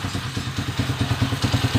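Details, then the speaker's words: 155 motorcycle after repair (crankshaft bearing, timing gear, follower, pushrod, crankshaft alignment, clutch damper replaced): earlier loud clattering gone, now a steady, even single-cylinder idle with soft regular pulses, no ticking; engine healthy. "Ayan Yan po yung malagitik kanina yung maingay So ngayon smooth na ulit iabang mo brother okay na yung motor ni Bossing from"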